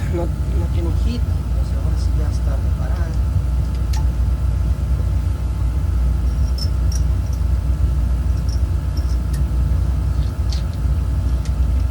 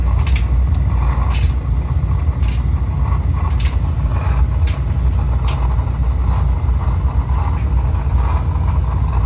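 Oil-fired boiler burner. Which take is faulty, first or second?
second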